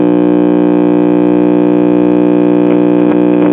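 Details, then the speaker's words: 1970 Rheem-Califone 1410 tube classroom record player (50L6 output, 12AV6 driver) on first power-up at 45 RPM: loud, steady buzzy mains hum drowning everything out; a bad electrolytic filter capacitor is suspected. "Sounds like we have a bad electrolytic filter capacitor."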